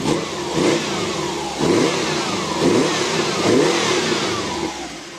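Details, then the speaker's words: 1991 VW Westfalia van with a Subaru engine conversion: four quick throttle blips, each climbing and falling cleanly with a crisp flat-four burble like a Subaru WRX or STI; the engine revs freely and quickly and sounds healthy. "sounds really awesome it sounds like a it sounds like a 2.5 R s um Subaru car or like a WRX or even an STI they all got the same sound"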